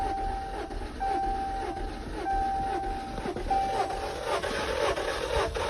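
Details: Chrysler 200 (2015 or 2016) crank no start: starter turns the engine over in a steady uneven chug with faint whine but never catches; compression good, cranked poorly and ran rough after an oil change, coils and plugs next.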